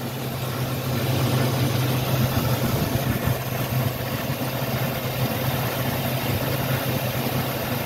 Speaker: oh yeah [Music] she's idling down now